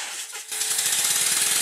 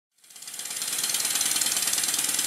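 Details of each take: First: Rebuilt Stuart Score model steam engine run on air, one side powered dragging the dead side: quick even chuffs about ten a second over a constant sharp hiss of air leaking around the cylinder covers. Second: Rebuilt Stuart Score engine run on compressed air, one side only and dragging the dead side, after correcting a reversed slide valve: crisp, even hissing exhaust beats about four per second, steady after a quick run-up; runs properly.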